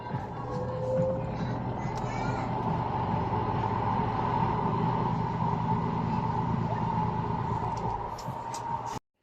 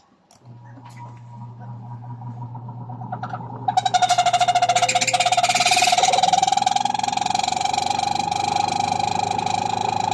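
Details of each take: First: Noisy spin dryer after oiling the rusty motor under the top of the motor: whirs at steady speed with smooth, even hum, no grinding or squeal; fixed, normal spin. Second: Single spin dryer (spinner) that sat stored unused, with a noise complaint: motor hums, then loud squealing, rattling whine as it spins up; dry, rusted motor bearing, to be fixed by oiling under the motor top.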